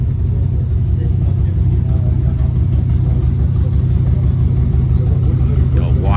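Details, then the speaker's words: 1957 Ford F250 with 272 Y-block V8, first start after almost 30 years during restoration: deep heavy rumble, even loping idle, no knocks or ticks; runs smoothly, moderate smoke, sump oil leak; normal idle. "good thing is it runs there seems to be running quite smoothly as well uh amount of smoke is not too bad it's in demand it's idling quite well actually isn't it"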